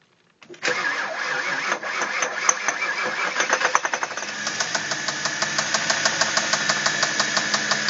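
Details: Audi A8 D3 engine: after cranking and catching, a sharp, steady metallic knock about three times a second at idle; connecting rod knock, confirmed as the cause on teardown.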